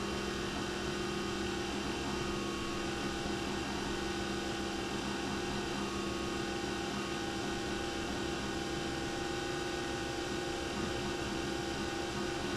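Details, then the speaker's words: Nespresso Vertuoline after replacing the worn spindle bearing: a steady, smooth spin hum with a clean motor tone and no grinding or rumble while brewing; the new bearing runs quietly and sounds healthy. "well that sounds much better and i think there's more chroma too i guess a new bearing will do that for you"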